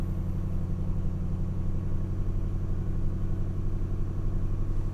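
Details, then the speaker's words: A 2006 Mustang GT V8 with new MSD Blaster coils and Champion 7989 plugs, fitted for an intermittent misfire, is at super-cold idle after four to five days parked. It gives a steady, even low rumble with no stumble or skipped beats. "it feels good it feels really good so far i'll go ahead and show you guys so of course because the engine is super cold we are going to have to let it sit for a little bit"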